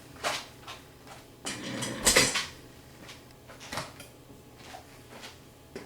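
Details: 2009–2014 Ford F150 (2012) door: light, hollow plastic clatter in irregular bursts as the door is shaken, a loose plastic part inside the door panel rattling over bumps; fix tried is tape or felt on the part.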